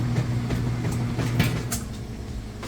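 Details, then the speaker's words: Whirlpool top-load washer, tub filled all the way with water on its fourth test load, lid closed: low rhythmic thumps and swishes about twice a second as the agitator reverses, an even agitation kick; normal agitation. "Now I'll let you listen to it for a sec. Hear that agitation kick."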